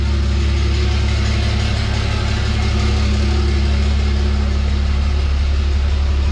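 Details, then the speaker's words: 1000hp Cummins 6.7 diesel drag truck build, first start after fitting a fuel cell with AirDog lift pump; fired up quicker than expected, deep steady diesel idle with even low rumble, no misses or knocks; no fuel leaks seen. "good deal man she fired right up a lot quicker than I expected"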